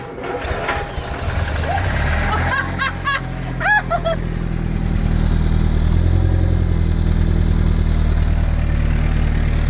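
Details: Land Rover Series 2A first start after complete engine rebuild and new clutch, with choke, in neutral: brief cranking, then catches and settles into a steady, even low idle with no knocks or misses.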